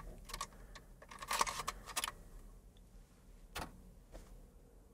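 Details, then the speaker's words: Atari STE floppy drive: short bursts of quick ticking and clatter as the head steps while seeking, then quiet; drive needs an overhaul, read fault unclear. "there we go it's trying to seek"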